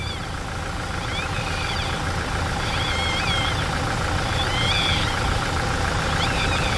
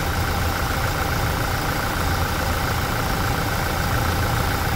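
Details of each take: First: Toyota Hilux, engine running after automatic transmission oil change: high chirping squeaks about every second and a half over steady rumble; dried-out deflector seal (retentor), a known Hilux noise point, stopped after lubricating. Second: Toyota Hilux after automatic transmission oil change: steady, even idle hum with no squeak or rubbing left; the noise at the deflector/seal was cured by lubrication, not by the gearbox oil.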